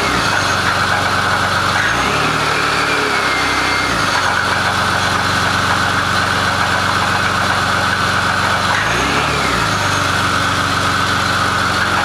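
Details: BMW E39 525i (not a diesel), idling: a harsh, clattery diesel-like rattle from the engine bay, with small rev blips. Cause unclear.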